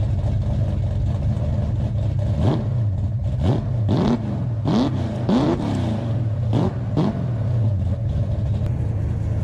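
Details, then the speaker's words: 1968 Hemi Charger V8 back on the road: deep, even idle with quick throttle blips, pitch climbing and falling cleanly each rev; healthy and crisp, no leaks. "try and tell me that don't sound badass that sounds like Jack Daniels and chest fur with a cigar hanging out of your mouth"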